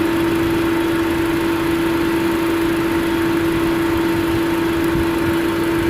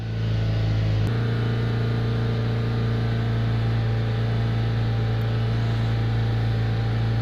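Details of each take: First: 2005 Chevrolet Astra overheating and pushing out coolant: at 221 degrees one fan finally engages but only on second speed, loud steady drone over idle; neither fan runs on first speed and the other spins very slowly; later fixed by replacing a relay. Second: 2005 Chevrolet Astra, overheating fixed by replacing a fan relay: engine held at 3500 rpm with deep even drone as cooling fan enters high speed; temperature drops 10 degrees within about 30 seconds; normal cooling fan high speed.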